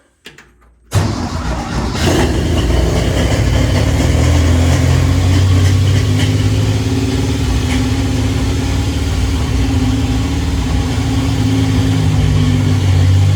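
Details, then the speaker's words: V6 pulled from a 1967 CJ5, first start in a Willys CJ2A, no coolant, fed from a bottle: catches after a second's silence, settles into steady even low rumble, no misses; running fine, oil pressure line still filling. "Well, that oil pressure line has to get full of oil, but it's running and I'm happy."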